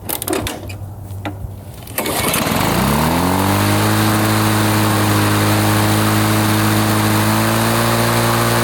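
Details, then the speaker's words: 1980s Lawn-Boy two-stroke mower after repair, choke off, about 3,480 rpm at full throttle. It fires after a few pulls and holds a steady, even high-speed buzz; runs cleanly and needs no carburetor adjustment. "I don't think we need to adjust that carburetor it doesn't seem to need anything it's running really good"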